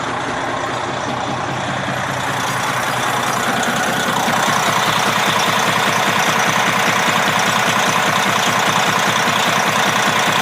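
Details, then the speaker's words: Detroit 60 series 12.7 diesel, warm after 45 minutes, good oil pressure: heavy idle with a regular knock about 2.5 per second; owner suspects a broken piston skirt or wrist pin, doubts rod bearing; others suggest the bull gear. "My thought is it could be a broken piston skirt. This may have it, I assume it's a two-piece piston, but I'm not sure. It could be a broken skirt in the piston, could be a wrist pin problem,"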